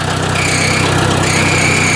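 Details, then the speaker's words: Ford 800 tractor with new electronic ignition, idling at about 400–600 rpm with 26–27 psi oil pressure. A thin high squeal comes and goes over the low idle, from vibration at the gas tank at a certain rpm; owner plans to wedge something under it. "the gas tank is making a bit of a squealing noise at a certain rpm vibration i'm gonna have to assess that if i uh yes instead of gear something's squealing on the tank here"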